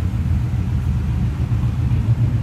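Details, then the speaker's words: 1950 Ford Custom Deluxe club coupe flathead engine on its 6-volt system, heard from the rear exhaust at idle. A deep, even, low rumble at a slow steady idle with no misses or knocks: a smooth, normal flathead idle. "This purrs. What a smooth running flathead. I'm going to slip around to the back of it too so you can hear what it sounds like sitting there rumble a little bit right now."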